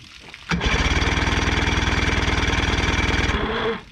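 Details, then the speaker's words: 1977 Johnson outboard on a pontoon boat, reassembled after fuel leak repair; fast, even cranking about three seconds with no firing; cranks but won't start, no spark. "the only thing we don't know is if it's getting sparked this thing to fire it's strange because we were trying to fix the fuel leak and then when we go to restart it we weren't even getting sparked"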